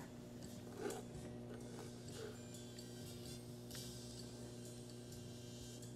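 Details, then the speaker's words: Op amp null test, LM4562 compared against NE5532 on a deliberately poor-quality power supply versus battery power: faint steady mains hum with some music leaking through, still within the noise floor. Difference in supply voltage rejection between the op amps. "slight a bit of music gets through and hum so the supply voltage rejection is a bit different between the amps"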